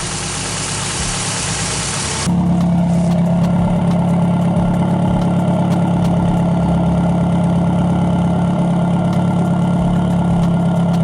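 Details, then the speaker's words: 1994 Toyota Celica GT after a fuel pump replacement, with a bad fuel pump relay found as the real cause: a brief rush, then a steady, even idle with no stumbling. It used to stall within seconds and has now run for about 10 minutes. "Guys, I am so glad that this thing is now running, and she's still running. Normally it cuts off like within the first couple of seconds, but yeah, it was a bad relay."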